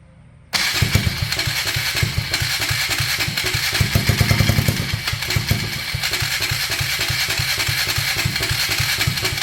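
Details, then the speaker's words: 1999 Polaris Sportsman 335 single-cylinder, first start after replacing a broken valve guide and gaskets, following hard cranking and fuel switch change: fires up cleanly and settles into a steady thumping idle with small blips; running normally. "It's running. I'm not touching it."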